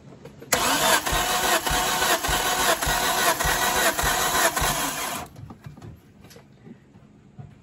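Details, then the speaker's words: Turbo Hyundai daily after a loud pop at the track, compression retest on cylinder 1, engine can't be started: even cranking with steady pulses; reading improved to just below 120. "Now it's reading better. Yeah, I thought we might get a little bit better reading, guys, because when you, I can't start the motor."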